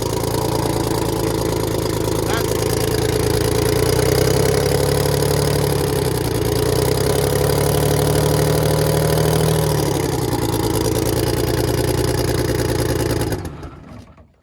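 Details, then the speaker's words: Detroit Diesel 6V92 bus engine idling cold, with a history of cold-start trouble: a rough, uneven beat as a couple of cylinders drop out. All cylinders came in shortly after; the mechanic judged this normal cold behavior. "Okay, it's still missing on a couple. I can tell."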